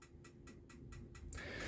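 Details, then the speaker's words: 2013 Auto-Trail Apache 700 motorhome gas heater set to setting three: sharp ticks about four per second repeat evenly, then a soft rushing whoosh as it lights. The automatic igniter is working normally. "let's say you want it on setting three it's automatically igniting okay so it will if you set it on three you can probably hear that just"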